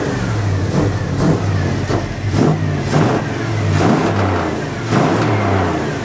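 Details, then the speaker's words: 1980 Dodge W200, Magnum 5.9L V8 with Holley 600 cfm carb, cold, choke wired open; lumpy boggy repeated rev bursts about one a second, running full rich from wrong jetting and a 9.5 power valve opening too early. "that was like that's terrible that's like full Rich what is going on with this thing why in the world"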